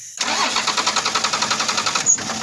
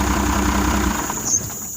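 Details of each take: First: First-gen diesel truck that ran, was shut off and won't restart, tank full of fuel and fuel at filter head: steady even cranking at seven to eight turns a second with no firing; fuel shutoff solenoid on the back of the injection pump or its connection suspected. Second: First-gen diesel truck with a temporary test wire feeding voltage straight to the injection pump shutoff solenoid: engine catches and runs with an even rumble settling over a couple of seconds; solenoid works, fault is a bad wire.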